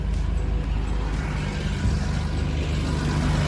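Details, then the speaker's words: Fuel-injected Toyota Land Cruiser FJ62, first start after sitting long, fresh gas, new battery: smooth, quiet, even low idle with no knocks, misses or ticks; engine healthy. "This is fuel injected.... it started! It is really smooth!"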